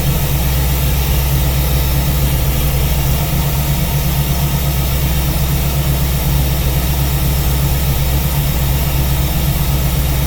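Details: V8 with newly installed Ace's Killshot EFI and Blackjack distributor, timing locked at 15° for setting, at idle: deep even burble with steady firing pulse, no misses or stumbles; normal idle.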